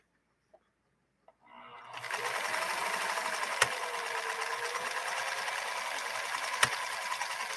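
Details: Pfaff 332 sewing machine sewing: steady, even whir with faint rapid clicks from the pattern cam (control D) underneath; mechanism working as it should.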